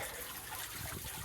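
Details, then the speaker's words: Backup bilge pump on a 70-year-old steel boat, pumping rainwater through a hose on deck: steady, strong unbroken gushing flow; water moving fast. "Lots of water coming out pretty fast."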